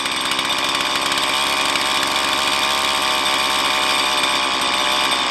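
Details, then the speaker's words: Stihl MS170 chainsaw with 16-inch bar, idle about 3,500 rpm while adjusting low-speed mixture screw: shrill buzzy idle rises then sags as mixture is leaned too far; lean idle mixture. "and then it drops off. Then I go back, high, drop off, and we'll go a little leaner than that."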